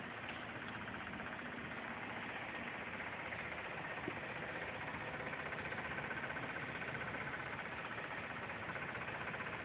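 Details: Audi A4 1.8T quattro petrol engine idling steadily with a dry, fast rattle over its even hum; cause unknown, owner trying to figure it out.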